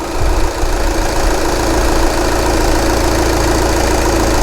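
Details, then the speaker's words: 2011 VW Sportwagen TDI at idle after fuel pump replacement fixed the diesel leak: clatter with a slightly uneven, lumpy beat; still a little rough, owner suspects the EGR needs cleaning. "still running a little bit rough but I think I need to clean the EGR now"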